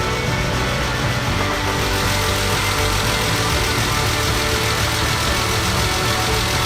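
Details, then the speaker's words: BMW E36 with the M52 2.8 L inline-six, first start in over 7 years after fixing a broken fuel pump: it fires straight up into a loud idle with an uneven, lumpy beat and faint knocking; rough running, cause unknown, possibly needs an oil change. "Three, two, one. It's alive. It didn't sound great, but it's definitely alive."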